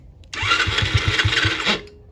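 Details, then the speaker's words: 50cc kid's quad: short burst of quick pops for about a second and a half, then it dies; carburetor to be removed and cleaned. "Okay, I think our next bet is going to be to take that carburetor off and we will get it cleaned up."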